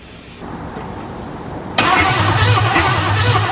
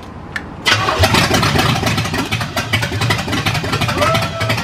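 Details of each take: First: Cadillac 350 V8 after the distributor was reseated with the rotor pointing at number one cylinder, on a first start attempt: steady starter churning at about three to four beats a second with no firing. It cranks but won't start. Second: Cadillac 350 V8 after the battery was recharged: a quick catch and fire, then a lumpy but steady idle with a slight rev and no misses. It starts and runs normally.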